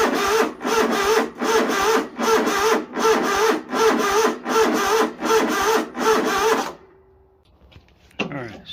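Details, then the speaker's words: Project Cub Cadet mower on a low battery with booster pack: rough, rhythmic chugging bursts a bit under two a second, turning over sluggishly and not catching; owner unsure if fuel pump is bad or cranking too slow. "I brought this battery and it would crank it was really slow so I'm not for sure if it wasn't pumping fuel because the pump is bad or if it wasn't turning over fast enough"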